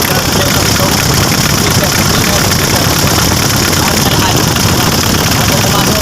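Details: Mitsubishi L300 FB, 4D56 diesel, after fixing low power and stalling at the fuel pump assembly: loud, steady diesel clatter with a strong even roar and no misses or stumbles; healthy normal running.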